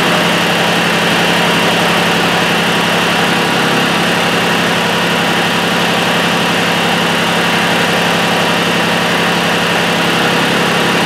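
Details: Mitsubishi Satoh S470D Buck diesel tractor after new transmission/hydraulic screen, oil filter, fuel lines and fuel filter: even idle clatter at constant pitch, no misses or knocks, though owner felt it wasn't running quite right and considered bleeding injector lines.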